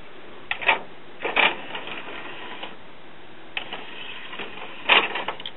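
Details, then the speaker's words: December 2001 Japanese-made commercial Denon CD player/cassette recorder, after repair: a few short bursts of whirring clicks as the tray draws in and seats, with no grinding or slipping; the disc loads normally. "But now it does, so let's go put it back in and see if we can load a disc. Alright, I haven't screwed everything back down yet. But it looks to be working."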